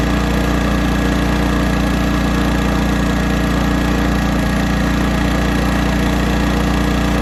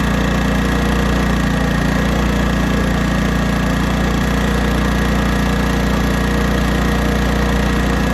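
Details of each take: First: 1980s Honda generator with hard-starting fuel issues, carburetor mixture screw turned out 2.5 turns: a steady drone with a slightly uneven pulse, running lean. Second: 1980s Honda generator after carburetor mixture screw adjustment, running under load: steady, even drone with no surging or hunting; tuned between too rich and too lean.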